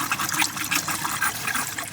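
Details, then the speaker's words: Campervan conversion water system after de-winterising, pump switched on: water runs steadily from the tap with hissy splashing and no gurgle or spitting; the air is out of the lines. "There we are. That's now running through. I'll just turn it to cold to get the air out of that. So there we are. All the air's through now."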